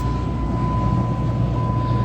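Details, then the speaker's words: 2004 Dodge Grand Caravan, 3.3L V6 gasoline: blower motor at fourth, full-blast speed after a blower resistor diagnosis; steady even roar of air with a low hum and faint constant tone, no rattle or squeal, normal. "okay let's turn the speed down you can hear the sound [Music] change it's off first speed second third and fourth full blast"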